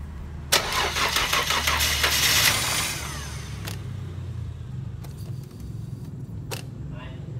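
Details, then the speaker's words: Mercedes-Benz W124 after cylinder head reinstalled (engine had lost oil and blown white smoke): starter churns repeatedly, catching on the fourth try as fuel refills to the injectors, settling into a slightly rough idle; extended cranking before first start. "Setelah berulang kali di starter dan starter yang keempat, mesin berhasil hidup. Dikarenakan seluruh suplai bahan bakar menuju injektor sudah terisi dengan penuh, sehingga mesin dapat hidup."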